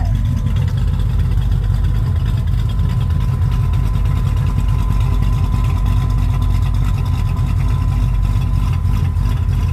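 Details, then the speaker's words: Rebuilt 1967 Pontiac Tempest V8 idling once oil pressure reached the lifters: deep, steady rumble without ticking or puffing, much quieter and better after exhaust leaks were fixed. "sounds way better than before without the exhaust leaks"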